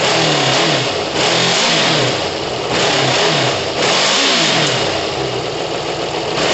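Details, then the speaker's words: Kawasaki ZL600 motorcycle, just woken after months, not yet warm, after new coils, tuned carbs and valve work: loud, steady run revving freely and evenly with repeated throttle blips; sounds good, normal running and revving. "yeah it sounds good no it sounds amazing listen did you not hear that red it's not even warm"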